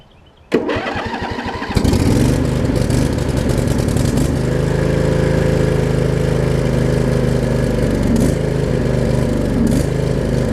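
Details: Craftsman riding mower with Briggs V-twin, after fixing the worn blade-engage mechanism, realigning the shifter and resealing the valve covers: cranks briefly, catches and settles into a steady, even idle with a low thrum; a healthy cold start.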